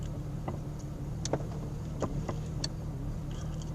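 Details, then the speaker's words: 1999 Jeep XJ (Cherokee) at full operating temperature, idling in Drive in four-wheel drive with foot on brake: uneven idle, stumbles, surges and shaking with the tach needle bouncing. Misfire, solved by replacing the ignition coil. "I get some vibration the engine missing sounds like a little surge and I drop a surgeon I drop makes the vehicle shake see attack jumping"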